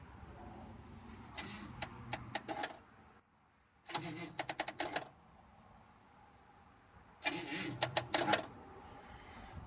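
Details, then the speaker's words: 1957 Chevy Bel Air hardtop, first start attempt in 15+ years, old gas drained: three short chattering cranking bursts, turns over but won't catch; spark plugs suspected, not confirmed. "Start. It kills over, but it's not starting."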